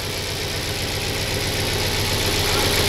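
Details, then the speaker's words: 2002 Audi S6 C5 4.2 V8 ANK after replacing the right-head cam adjuster/tensioner: steady even idle with a faint hiss, no knock or rattle; runs quieter, oil pressure needle steady. "І скажу я вам, що на цьому натяжнику зовсім інша робота двигуна. Він тихіше працює."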